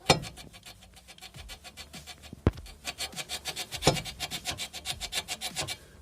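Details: Front suspension creak and grinding on a car: a dry rubbery creak repeats in quick even strokes as the arm is worked. The rear control arm bushing rubber has separated from its outer sleeve, though the outer seal is intact.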